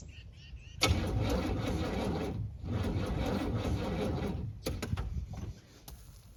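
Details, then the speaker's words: 1978 Camaro on a 16°F day with no choke, even with ether: two long cranking bursts with quick, uneven chugging that fire but never catch. Cold no-start blamed on a damaged Demon 625 carburetor. "well guys unfortunately that's all she's got I was really hoping that y'all be able to hear it on this cold day and I was hoping I'd be able to as well but engine don't run on hopes and dreams the demon 625 on it is actually damaged and it's kind of a junk carb"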